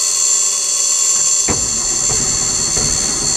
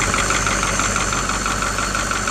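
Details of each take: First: 1984 Ford truck with a Caterpillar 3208 diesel, unrun for three years, in neutral: the starter cranks at a steady rate but it never fires. Crank no start from fuel starvation, with no fuel reaching the fuel filter; the fuel tank is to be checked. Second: 1984 Ford with Caterpillar 3208 diesel, first start after sitting about three years: steady, even idle with light regular injector clatter, no knocks or misses, purring like a kitten; engine sounds healthy.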